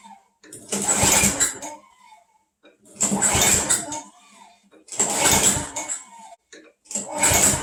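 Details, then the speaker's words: Craftsman Eager 1 mower with Tecumseh engine on a cold day, primed five times: pull-start bursts about every two seconds, each a short rasp that never catches; cranks but won't start, owner suspects flooding. "okay i think it's flooded so i'm gonna let it sit for a while"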